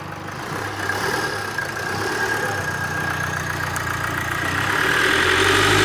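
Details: Rebuilt GM Duramax 2.8 16v turbo diesel, 2018 Chevrolet S10, after final assembly: regular idle clatter with turbo hiss building slightly toward the end, no heavy knock; healthy idle.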